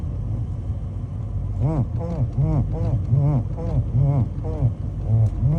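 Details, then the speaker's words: Toyota Land Cruiser 200, noise when turning steering wheel, appears when cold and sometimes not at all: steady low groan rising and falling in pulses about twice a second while turning; cause not stated. "әйтеуір ондай дыбыс бар да рөлде. Осы салқын кезде шығады да, кейде шықпай қалады."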